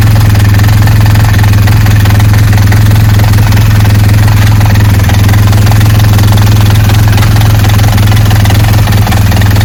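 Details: BMW R1200GS motorcycle: steady, deep idle thrum with an even, rhythmic churn of about 158 beats per minute. Gearbox noise at idle, source not yet pinned down; gearbox removal planned.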